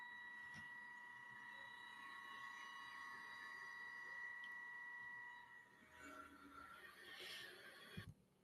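A steady, shrill ringing tone near 1 kHz during the cut: chatter from a workpiece sticking too far out of the vise.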